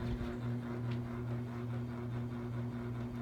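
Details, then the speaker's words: Harbor Breeze Calera ceiling fan on medium speed. A steady low hum with fixed tones and a slow, even pulse over the air rush; the fan motor is noisy. "Okay, here's medium. I don't know if you can hear it or not. That loud AC over there, but it still has the noise."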